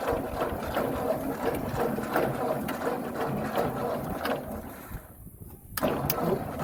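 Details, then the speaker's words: 1958 Ford tractor after cleaning dirty ignition points, gap near 20 thou: uneven rapid chugging with a brief dip, then picks back up; engine runs again, a little flooded, cleared by opening throttle and cranking. "It's a little flooded, but now we're good to go again."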